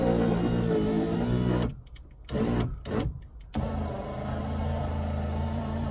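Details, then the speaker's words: Ferrari 308 (80s) electric window: strained motor hum stalling and restarting in short bursts as the glass goes up; window goes down but sticks going up and needs a helping hand, slow power window. "buttoned-down electric window is going down it's still getting stuck going up so I need to give it a little bit of a helping hand"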